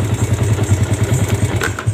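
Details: Yamaha Vega ZR single, kick-started, smoking white with rough front-engine noise: fast, even low thumping about nine beats a second with rough clatter; suspected worn piston or camshaft end play, as the cam lacks an end bearing.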